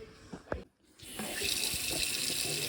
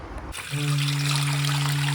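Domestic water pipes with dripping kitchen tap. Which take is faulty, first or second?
second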